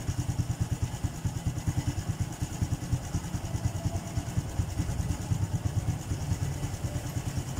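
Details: Honda Blade FI single-cylinder with weak compression (50 PSI), TPS reading off, sometimes stalling after starting, engine not yet at 70 °C: slow, uneven idle about two-plus beats a second with loose thumps. Low idle speed.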